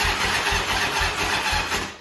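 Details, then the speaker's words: Grandfather's Harley-Davidson motorcycle, unridden over 15 years: starter turns the engine in labored pulses, about four a second, then sags and dies; slow cranking from a weak battery, with an oil leak found while cranking. "Wow, yeah, that's not good. Holy shit. Oh, that battery's a piece of shit."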